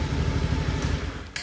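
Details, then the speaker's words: Honda Scoopy scooter whose rear wheel spins fast at idle and creeps. As the engine shuts off a sharp click sounds from the CVT, where the clutch shoes drag against the clutch bell. "Ketika dimatikan mesinnya, terdengar bunyi cedak gitu, itu terjadi masalah di bagian CVT-nya."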